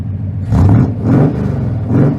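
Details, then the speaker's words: V8 fitted with a lawn mower carburetor; after idling around 700 rpm, three quick throttle blips rise and fall cleanly with no stumble or popping; healthy throttle response. "expected arguably runs so good at least idling and revving up and down that if I didn't tell you there was a lawn mower carbon there you'd have no idea"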